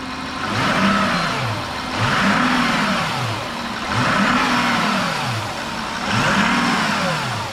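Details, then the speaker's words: Damaged, non-running Audi Q7 6.0 V12 TDI at first start during teardown: four smooth rev blips back to idle about every two seconds, clean even response; intercooler pipe blowing slightly, no smoke, engine runs fine. "right nice it's alive"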